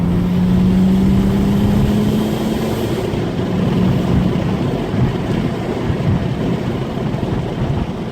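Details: Turbo car after swapping K03 to K04 turbos, same 1 bar tune, boost feels softer; rising whistle under pull then airy rush as revs drop on downshift; owner unsure if normal; turbo whoosh.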